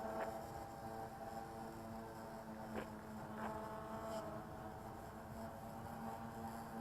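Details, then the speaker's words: Diatone 250 frame quadcopter with XK X350 electronics, stock ESCs and Bayangtoys X16 motors, overweight and under-propped: steady strained motor whine near full throttle with little pitch change; a lot of throttle for very little lift. "that's a lot of throttle for very little lift"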